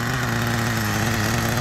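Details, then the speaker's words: 1997 Kyosho nitro RC with cooling fan, slightly leaned: a soft, lazy burbling idle with a loose, blubbery beat. It is still rich, with oil visible; the oil leak appears to come from the exhaust. The transmission turns but there is no drive, and the engine stays cool. "look at how easy it idles and it's nice and rich i can see a whole bunch of oil here check that out"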